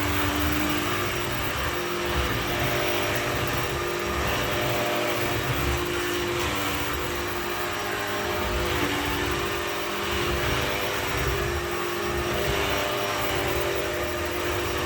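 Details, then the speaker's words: Shark PowerDetect vacuum in its quiet mode, brush roll at full speed, moved from carpet onto hard floor: steady motor hum with a dull, rough rubbing that rises and falls in waves. Brush roll rubbing on the hard floor. "Now, when I go onto the hard floor, it's a bit of a different story, unfortunately. You can just hear that rubbing against the hard floor."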